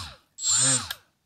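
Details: Milwaukee M12 cordless die grinder with a Roloc disc. A short burst of shrill high whine with a rough low warble as it spins up and coasts down: an unbalanced disc wobbles and pounds the bearings. Orientation of the disc affects balance.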